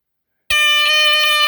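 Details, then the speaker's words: 1978 Westclox battery-powered smoke alarm on test: a piercing high squeal with a slight pulse, held about a second, loud and healthy; alarm works properly. "old on going to test this one now it's pretty loud hold on okay pretty healthy [Music] sounding all right cool"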